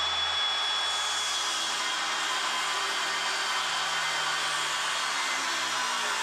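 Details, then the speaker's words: Cordless power tool used while laying bamboo hardwood flooring and trim, battery indicator flashing: high-pitched motor whirr wavering and sagging instead of holding speed because the battery is dead; cordless tool motor with dead battery. "That's the sound of the battery being dead. What? That's why it's flashing."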